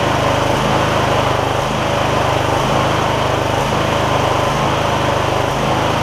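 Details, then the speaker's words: MTD Lawn Chief garden tractor V-twin after debris found in the intake, suspected cause of the problem: steady even running note with no hunting or surging, run for a while to check for recurrence; normal running. "Let's see if I can get this thing to run smoothly. Let it run for a little while to make sure it doesn't have a recurring issue before we send it off. That's better."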